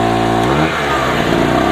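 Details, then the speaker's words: Harbor Freight 900W two-stroke generator loaded with an 800 W heater, its maximum, voltage dropping: engine note sags and falls in pitch, bogging and labouring near its limit under heavy load. "this is 800 watts which is the maximum value you can see the voltage is down you can hear straining"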